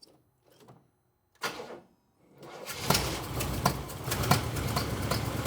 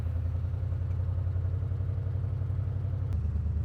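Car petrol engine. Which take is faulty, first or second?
first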